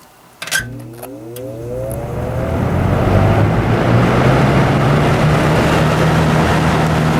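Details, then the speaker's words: Lakewood S223 fan startup after motor cleaning and oiling: hum climbs smoothly in pitch as motor spins up, then settles into steady even run; owner calls it an interesting sound; normal startup. "Actually, I'll get a startup sound real quick. This one has kind of an interesting sound to it."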